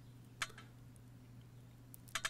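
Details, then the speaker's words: Electronic EGR valve actuator, cleaned and refitted with cooler after coolant pipes flushed, tested on 12 volts: quiet hum with crisp, quick snappy clicks as the valve moves freely; normal operation, job done. "and it's a nice quick snappy action exactly as it's supposed to be so that is job done and everything's back to normal"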